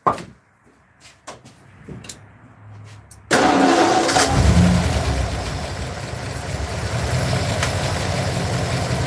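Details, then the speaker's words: Old, worn truck engine after a fouled spark plug was cleaned: cranks, catches and runs with an uneven, lumpy beat under the roar; owner says it no longer backfires or hesitates and the engine really needs replacing. Engine misfire. "it didn't backfire or hesitate like before so that one was the primary culprit"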